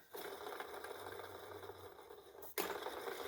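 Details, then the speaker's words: Hoover Encore U4595 vacuum during refurbishment, after a few drops of 3-in-1 oil on the wheels and pivots: it runs with an even, fairly quiet whir and no squeak or rattle; the noise is better. "That's better. I think I can do a little bit more here on the outside."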